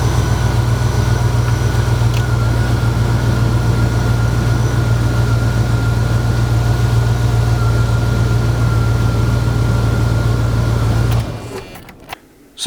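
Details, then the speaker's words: 1990 Dodge Ramcharger, formerly non-running, now running on its own power without modifications: a smooth, even idle with a steady low hum and no misses or ticking until shut-off, a healthy engine. "as you can hear it runs fine it runs great as opposed to the what did when I bought it it's no longer a non-running vehicle"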